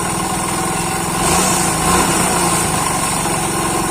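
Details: Hero Splendor motorcycle engine blipped from idle: a light rapid knock rides on the exhaust beat; pressing the magneto side reduces the noise, pointing to crankshaft end play and crank bearings on the magneto/flywheel side.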